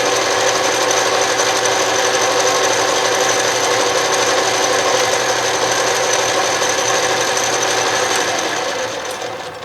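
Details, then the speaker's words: Restored 12-inch Atlas Craftsman metal lathe, reassembled, power feed reversed with the carriage moving left: a steady, even whir with light gear ticking of about four a second and no knocks or grinding, moving nicely. "right now we'll change lead or feed Direct and we'll try going to the left that's moving nicely"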